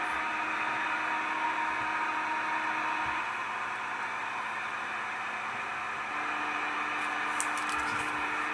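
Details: Unexplained interference noise on the CB radio band: steady hiss with humming tones that drop out and return; source not found.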